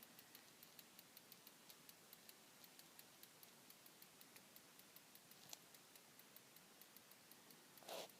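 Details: Desktop PC idling after Prime95 load is cancelled (silent under load): faint, sharp, high-pitched ticks about four a second, repeating evenly; ticking from the motherboard at idle.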